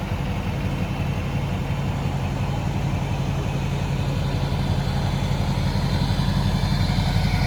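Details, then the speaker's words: 2006 Chevy Silverado 3500 4x4, 6.6 Duramax diesel, 25k miles, serviced: just started, smooth, even soft low idle rumble with no knocks or rattles; very quiet, healthy engine. "Go ahead and start it up for you here. See the mileage there on the dash. Very quiet idling."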